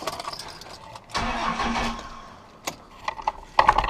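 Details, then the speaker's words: 1995 Dodge Ram 3500 with 5.9L 12-valve Cummins diesel that would not crank: after reconnecting the unplugged neutral safety switch connector, a short crank catches quickly into a firm start and settles; starter circuit normal. "Before you spend $200 on a starter, check your neutral plug so you don't do what I did."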